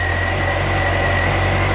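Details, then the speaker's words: 2005 Ford Escape after a lightning strike, barely running at idle with dash voltage far too high: steady high-pitched whine as the alternator works at full output; alternator whine from overcharging. "look at the voltage that it's running at absolutely nuts and hear the alternator's on full"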